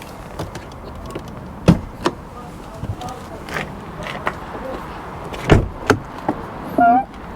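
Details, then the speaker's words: Volvo XC70, likely D5 diesel, 300,000 miles, original mats: thumps and handling sounds, then a short high creaking squeal as the door swings; door squeak, cause unknown. "Little squeaky door there, but again, original mats."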